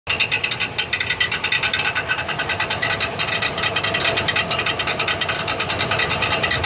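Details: 1999 Chevrolet Silverado 1500 4.8 4WD cranking: rapid, harsh metallic chattering, roughly three clacks a second, as the bad starter Bendix drive bounces off the flywheel teeth instead of engaging.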